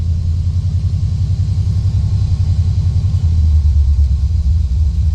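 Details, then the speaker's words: Steady, even idle with no knock or hunting on a C3 Corvette L82 with high-lift cam after adjusting the idle stop solenoid: about 900 rpm with AC compressor on, 1,200 off. Compressor cycles often; owner suspects slightly low refrigerant. "this is performing the way it needs to perform the air conditioner is on and running at 9 00 now it's cycled off it's at 12200 it's on 900"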